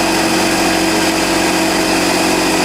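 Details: DeWalt 6-gallon pancake air compressor, new, 110 V, running: constant even buzzing pump hum, no knocking, rattle or leak hiss; normal running.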